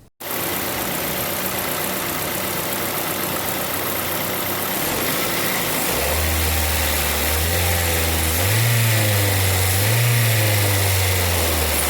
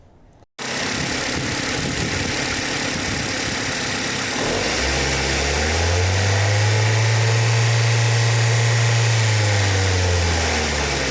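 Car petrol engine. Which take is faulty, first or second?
second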